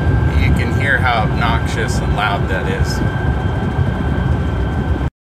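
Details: 2011 GMC Sierra Duramax turbo diesel, cab interior while driving at speed: a constant high whistle over road rumble, coming from air across the aftermarket LED light bar fins, not the turbo. Fixed with door edge molding on the fins.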